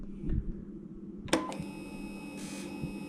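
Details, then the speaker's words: Generac XT8500EFI generator that would not crank, ignition switched on before the solenoid replacement; a click, then a steady faint electric hum as the fuel pump primes, showing the pump works. The later fault was traced to the starter solenoid. "That's the fuel pump sucking up water, so I know that that's working."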